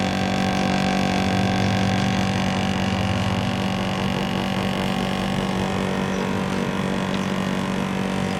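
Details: National CU-915KH 1.0-ton mini-split outdoor unit (1990s, Matsushita, Japan) on the roof tiles, noisy since September 2012: steady loud drone with a strong low hum and a buzzy rattle at unchanging speed; excessive vibration, cause unconfirmed.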